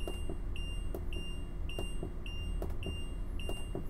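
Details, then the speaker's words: Winnebago motorhome Power Jack leveling system during zero-point reset, ignition on: high-pitched beep repeating about every half second over faint clicks, warning buzzer that the leveling jacks are still down. "as you can hear the beeping sound that is a warning buzzer letting you know your jacks are down so you don't accidentally drive away with your jacks extended"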